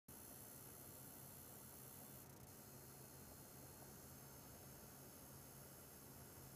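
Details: EVGA GTX 970 SSC with aftermarket Arctic Twin Turbo II cooler running Unigine Heaven at ~90 FPS, 100% usage: fan hiss with thin high-pitched coil whine.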